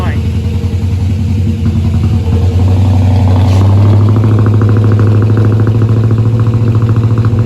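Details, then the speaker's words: Holden VR Clubsport 304 V8, dormant for years after a heavy front impact: after its first start it gives a lumpy, strong, even idle that rises cleanly when revved. No knocking, so the bottom end sounds healthy. "so the fact that there aren't any crazy knocking noises is quite heartening which means that it won't need as much attention as it could do"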